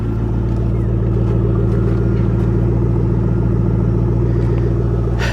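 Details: Roush 427R Mustang V8 with factory exhaust manifolds, alternator charging 14.2 volts, stationary: deep, even rumble at a steady idle with no knocks or misses. Healthy engine running smoothly.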